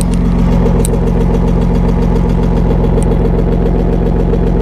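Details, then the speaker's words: Engine at idle, heard from above: quick, light tapping at about 220 per minute that follows engine speed. The tap is also audible from below and in the exhaust, and a stethoscope is used to locate it. Hydraulic lifter tick. "Alors on l'entend du dessus. Je sais pas si vous entendez bien mais ça claque pas mal."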